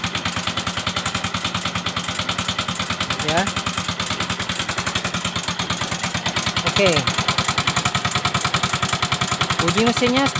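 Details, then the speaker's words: Yamaha Mio M3 125 at idle, hard to start, oil change done late: a fast, uneven, rough ticking knock ("tek tek tek") that rises with each throttle blip. "Nah, jadi itu bunyi mesinnya itu kasar sekali ya. Bunyi mesinnya tuh kasar. Tek tek tek tek tek tek. Enggak karuan ya, Guys, ya."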